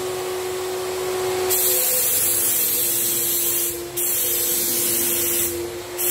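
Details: Graco 9.5 Pro Contractor HVLP turbine with Edge 2 Plus gun spraying water-based paint: steady high turbine whine and spray hiss, pressure dipping briefly on each trigger pull then building back; normal running.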